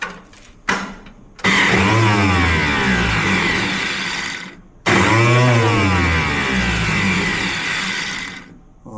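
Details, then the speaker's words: Ferguson tractor with a newly replaced starter, fuel and key on: two bursts of high whirring spin-up and wind-down with no compression beat. The starter pinion isn't reaching the flywheel teeth. "that's concerning, isn't it? Huh? It's not touching the flywheel."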